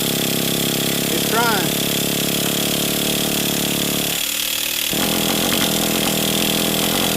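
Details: Traxxas T-Max 3.3 nitro monster truck engine, started after 10–15 years of storage and still a little cold: a high, slightly uneven buzz that drops out briefly and then picks up. It runs normally.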